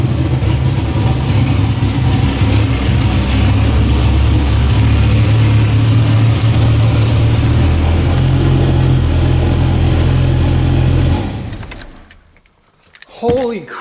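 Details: Dodge Ram SRT-10 (Viper V10 truck) newly fitted turbo kit with 3.5-inch downpipe, first untuned start: loud, lumpy idle with raspy puffing from exhaust leaks (old-gasket flange, possibly V-band collector) for eleven seconds, then shut off.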